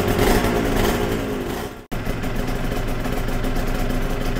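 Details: Yamaha TZR 250 3XV two-stroke twin during carb balancing, after warm-up: crisp, even burble with both cylinders pulling evenly at steady idle after a brief drop; exhaust pipes near 70 and 63 degrees, healthy idle.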